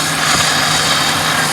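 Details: 1997 Pontiac Grand Prix at idle after adding one can of R134a on a roughly 96°F day: smooth even idle, steady compressor hum, no squeal, rattle or cycling clicks; A/C blowing ice cold, operating normally.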